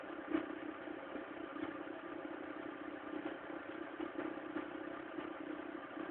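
Quiet cold idle with a light, uneven ticking clatter riding over the engine; something's noisy while cold, cause not clear yet.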